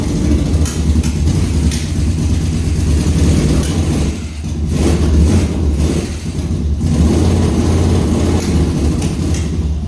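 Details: 1200cc motorcycle-powered dune buggy started after the carb problem was found and reassembled: deep steady idle rumble, dipping briefly mid-clip and recovering, holding idle evenly.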